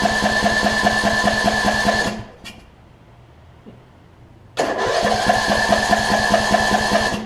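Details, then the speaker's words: 2007 Craftsman LT2000 riding mower, Briggs and Stratton, unrun a few years, started on starting fluid: uneven lumpy chugging, cutting out with sharp pops and backfire through intake; backfiring when starting, owner suspects timing off, carb to be checked. "It almost sounds like the timing may be off on it. Not quite sure. I think the timing might be off on it because obviously I saw it backfire through the intake there, and so I'm going to take the carb off and we're going to give a look at that."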